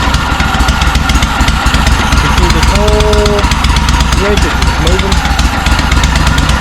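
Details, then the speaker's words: John Deere M665 zero-turn mower sounding like it runs on one cylinder, intermittently on both; rough, uneven putter with sharp ticking puffs and a stumbling beat; owner suspects a bad exhaust gasket on the left side; a loose carburetor was later found. "I think it might have a bad exhaust gasket on this left side over here"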